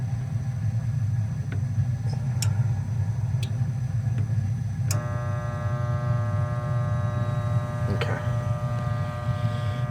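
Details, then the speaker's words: Goodman furnace installed October 2010, no heat with burning smell: steady electrical hum with no spin-up from a seized inducer (vent) motor; voltage to the motor confirmed, so the control board is okay. "we do have a bad vendor motor I could hear it humming so we'll have to see if we can get you guys one"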